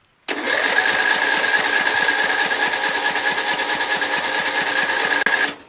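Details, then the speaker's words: John Deere L100 lawn tractor engine after carburettor clean and valve adjustment, choke on, cold day: about five seconds of fast even cranking without catching while the float bowl refills; extended cranking before start. "so it's got a crank so that the gas goes into the bowl fills up gets sucked up the emulsion goes into the intake"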